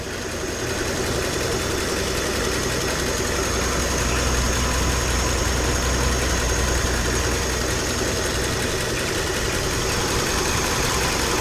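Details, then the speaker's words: 1950 flathead Ford V8 Pilot after conversion back to points ignition and original carb: steady, even idle with a soft low rumble and no misses or knocks. Idle sounds right, though mixture or timing may still need tweaking. Normal idle. "I mean the idle sounds about right so on its own yeah it's idling just as it should do"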